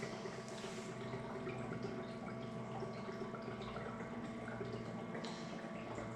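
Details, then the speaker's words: Series 8 printer during commissioning, makeup fluid bottle draining into the makeup reservoir: soft irregular gurgles and drips over a steady machine hum for about 20–30 seconds until gurgling stops; normal fluid fill. "it takes around about 20 seconds 30 seconds to drain into the printer you'll hear it stop gurgling"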